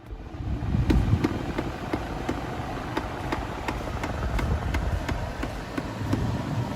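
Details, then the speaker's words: Hyundai IX35 dashboard, passenger side near the glovebox; sharp cracking clicks about two or three a second over blower rush when recirculation is closed, worse at higher fan or while driving, from a failing A/C recirculation door servo motor, later replaced. "vamos fechar a para recirculação interna e o barulho é nítido que vem mais ou menos dessa região aqui"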